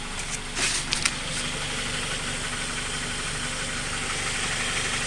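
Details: Honda K20 at steady idle with a fast, faint tapping low in the block; valve adjustment already done. Owner can't tell whether it is rod knock, piston slap or tensioner knock.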